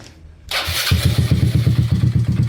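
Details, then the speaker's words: Two-stroke 59 mm big-bore former race bike before its reset: it kicks over into a fast, rattly beat with loose clatter every stroke; mechanic suspects con-rod bearing play and hears ticking at the head; worn piston and bore. "Ayun talagang maiingay talaga siya. May memory pool ako. So ayan. So ayan. Maiingay talaga siya. Feeling ko ano eh Conrad may alog na ah bearing siguro. Tapos sa head may lagitik din."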